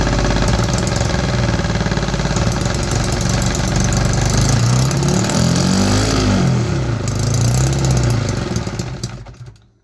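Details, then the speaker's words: 3D-printed 125cc two-stroke engine started on starter fluid, ran about 6 seconds: uneven buzzing with pitch swooping up and down, then dies; fuel starvation, engine stalls after brief run, carburetor to be fitted next. "It still has some fueling issues though. It started on starter fluid. It ran for like 6 seconds."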